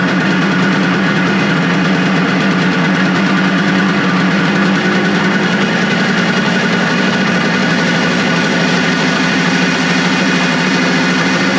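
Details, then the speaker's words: Suzuki two-stroke motorcycle after a second carburetor cleaning, started on choke, fuel tap leaking: burbles at a low, slightly lumpy idle with no rise in revs; low rough idle, owner suspects the throttle/idle adjustments are set too low. "Are you kidding me? I mean, it's basically sitting here at island. I definitely think that the throttle adjustments are definitely too low."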